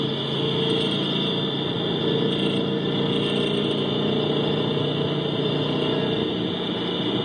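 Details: 2011 GT 5.0 V8 at a steady idle, recorded through amplified microphones on each cylinder bank switched between channels: a faint, even tapping under the exhaust drone; owner suspects piston slap, as his car makes it when cold.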